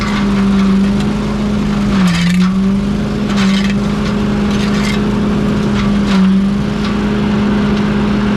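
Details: Pink Walker mower leaf loader restarted after being unclogged and reassembled on a cold (~34°F) day: strong steady hum sags twice as material loads, then recovers cleanly. The loader is running normally.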